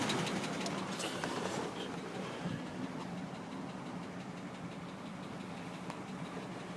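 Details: 1998 Chevrolet Tahoe 5.7 V8 at steady idle: dull, somewhat irregular tapping about four per second; knock and low oil pressure appeared after a bad intake gasket was replaced on this recently purchased truck.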